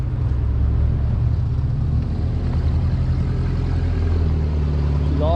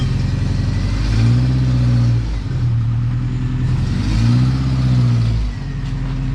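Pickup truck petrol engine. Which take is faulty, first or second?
first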